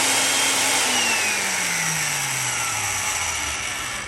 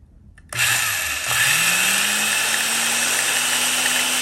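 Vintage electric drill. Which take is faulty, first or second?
second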